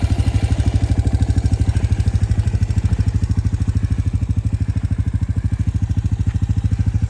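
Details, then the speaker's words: Suzuki LT-Z 250 quad, low hours, oil change likely overdue: starts at the push of a button and idles with a crisp, even single-cylinder putt-putt that stays steady; normal healthy idle. "I mean, this thing fires right up. Just flick of a button."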